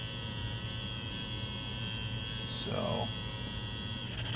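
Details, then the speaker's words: 1/48-scale Cessna 150 model: the small nose motor, fitted but not yet glued, gives a steady high buzzy whine over a low hum. Shaft vibration is suspected, and the builder considers shaving the shaft down to reduce the noise. "maybe I'll I'll try and shave that shaft down a little bit coil down that noise"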